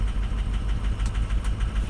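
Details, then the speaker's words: 2006 diesel pickup at 218,000 miles, fully cold, during a power-balance test. Deep, uneven idle with a lumpy pulse and a slight knock at each firing; cylinder 3 overfueling, 4–6 dropping. Injectors are suspected but not confirmed; a cylinder 2 glow plug code is stored. "whoa three's overfueling two and three oh they'll get four five and six are dropping four oh God it's getting rough it's getting rough"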